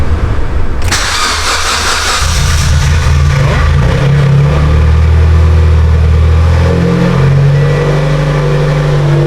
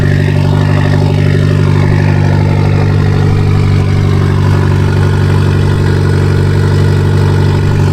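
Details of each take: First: Mitsubishi Evo X after ETS turbo kit install and exhaust leak fix, near straight-pipe exhaust, chilly morning start: quick crank, fires and catches, blips, settles into loud steady idle with no puffing or ticking; normal start and idle. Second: Mitsubishi Lancer Evolution X with stock turbo at cold start: deep loud idle with a fast puffing tick from a major exhaust leak in the center of the car.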